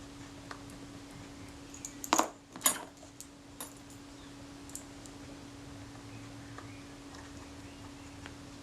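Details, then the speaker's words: Kodak Retina IIIc camera after servicing and reassembly of the top cover: two crisp clicks about half a second apart over faint hum; shutter release and film advance work nicely. "so do yeah it's working nicely"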